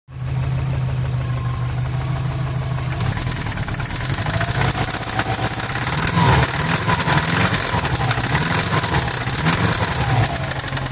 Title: 05 wrx rod knock